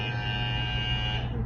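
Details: Wmark 222 hair clipper after refitting its loose, worn rail and oiling it, which had made it very noisy: steady, even electric buzz with no rattle or chatter; normal clipper running.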